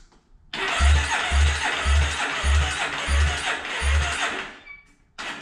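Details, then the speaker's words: 2008 Yamaha Raptor 350 ATV during compression test cranking; slow, even cranking with soft thumps and no firing; reads 60 PSI, well below the 100-120 needed to start, worn top end. "Yeah, 60 PSI. That ain't gonna start. We need to have at least 100, 120. All right, we got problems, for sure."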